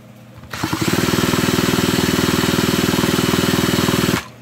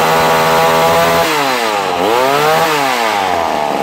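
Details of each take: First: Vintage McCulloch Mac 110 chainsaw, found sitting in water at a dump, pulled over evenly at about four strokes a second. Wet, sputtering compression and no firing as it spins water out of the cylinder before a spark test. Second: Vintage McCulloch Mac 110 chainsaw, 2.0 CID two-stroke, being restored after being found in water at a dump: a loud, crisp buzz that climbs and falls smoothly with throttle and revs clean and even. It is running normally.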